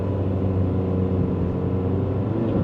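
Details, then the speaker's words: $1200 ex-Domino's pizza car pulling away toward 35 mph; deep rumble with revs sagging instead of climbing, heavily bogged with no misfires felt; owner suspects timing issue, unconfirmed; slight squeal also noted. "I mean, we're going 35 miles an hour. We have no misfires, but it's just bogged down so much."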